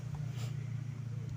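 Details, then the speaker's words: KTM Milan automatic scooter with Suzuki Shogun CDI fitted, idling: low, coarse, uneven lumpy drone; rough running, owner suspects previously damaged camshaft and overly slack timing chain, plans advancing timing one tooth. "ini suaranya kasar jadi e noken asnya pernah di dirusak kayaknya ya terus timing Giri apa timing e rantainya rantai timingnya terlalu kendor"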